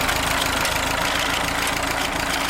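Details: Small engine on amphibious Ford tractor with aftermarket carburetor running slightly lean, choke held partly out to stop exhaust popping; even steady idle, no misses or knocks: normal idle.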